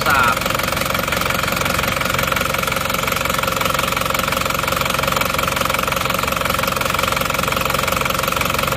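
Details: Cold Isuzu Panther diesel idling after a morning start with temperature not yet up: steady, slightly lumpy clatter about 2.5 beats a second, with smoke already showing. Compression measured only 15 bar. Radiator had pond water instead of coolant; rings to be replaced in an overhaul.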